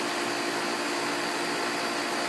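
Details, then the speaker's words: Pool pump running while the valve is opened to let trapped air escape; steady hiss over even motor hum, no knocks or surging; normal pump running with air bleed. "up the pump and then you open this valve to let all the air that's in here escape"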